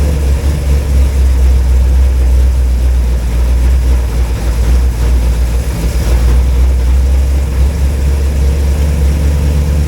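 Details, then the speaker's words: Rebuilt V8 in truck, cold start at about 40°F with no water pump fitted, run briefly: deep steady rumble with even beat, no clacking or knocking; idling cleanly as expected cold. "well it runs it sounds good it ain't clacking it ain't knocking it's idling you know as you expect the cold engine"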